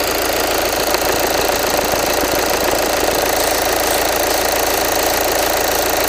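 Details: 2013 VW Jetta TDI Sportwagen 2.0 diesel idling right after an oil change with Liqui Moly Top Tec 4200 5W-30: steady, even clatter of about three ticks a second, with no knocks or misses. Normal diesel idle.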